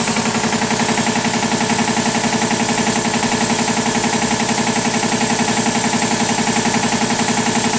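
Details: 40-year-old 25 hp American Kellogg 462 air compressor, before overhaul: hard, even knocking at nearly four beats a second, locked to the stroke; rod knock on 3 of 4 connecting rod bearings.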